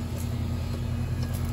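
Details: Old, rusted central AC condenser unit, called out for not cooling with its fan not spinning, now running with a steady, even compressor and fan hum and no rattles, knocks or squeals.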